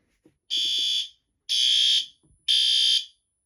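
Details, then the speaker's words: Fire alarm system test, horn strobe: loud, piercing horn blasts of about half a second, once a second, clean and even; the alarm horn is sounding properly. "Yes, that's a horn strobe."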